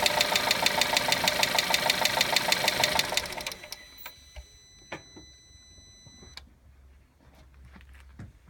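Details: VW Golf 1.4 TSI at idle: a fast, very regular, sharp metallic clicking at about three per second, then the engine shuts off. The source of the clicking is unknown.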